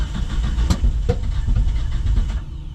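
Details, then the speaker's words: 1977 Datsun 620 pickup, suddenly while driving after running smooth: deep uneven four-cylinder rumble with sharp pops about every second, misfiring and backfiring real bad; owner suspects jumped timing, also notes poor-looking fuel in a fuel filter. "Well, shouldn't have bragged on her. Just started backfiring real bad."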